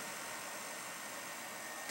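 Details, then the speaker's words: Old desktop computer fan running: steady airy whoosh with a faint thin whine on top, constant speed; suspected worn fan bearing, not confirmed. "sounds like there might be a bearing issue in that fan"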